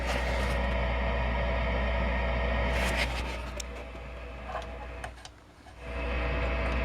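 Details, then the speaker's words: Ampeg GT-10 guitar amplifier after repair, first power-up on a current limiter with the reverb disconnected: constant rushing hiss over a steady low hum, far too noisy; owner suspects a capacitor, source not yet found. "got a lot of hiss i'm just going to try to maybe uh see if i can track that down"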